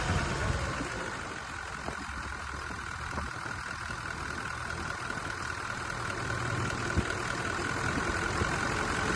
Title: V8 ENGINE NOISE of a faulty camshaft 1VD ENGINE